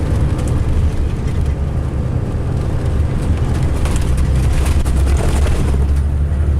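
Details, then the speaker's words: 2005 MCI D4500 coach, Sound Transit route 594 to Seattle/Tacoma, heard running; deep, heavy rumble with a steady drone and no clear knock, the coach sounds rough and shaky, cause not evident. Rough running. "Hate that sound, my God. This coach is so rumbly."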